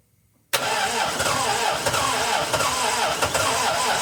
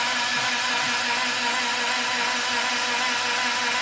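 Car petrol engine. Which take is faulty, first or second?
first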